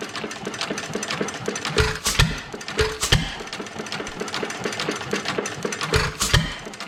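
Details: Domestic Type F single-cylinder engine with a mud-sucker pump, after a governor spring adjustment: slow, irregular chuffing beats as it fires and coasts, running steadily with no knocks or clatter. Flywheels run true. Normal running.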